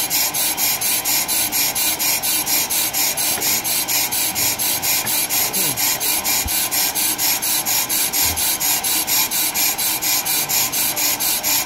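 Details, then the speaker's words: Pro-Cut PFM 9.2 on-car lathe resurfacing a brake rotor after compensation: a regular scraping rasp about twice a second catches and drops out. This intermittent interrupted cut is suspected to come from an inconsistent setup; recompensation planned. "Yeah, that sound is catch, Yeah. It's hit, yeah. Miss. Exactly. It doesn't sound right."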